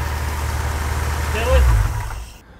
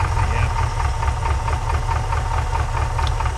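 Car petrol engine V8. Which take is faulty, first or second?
second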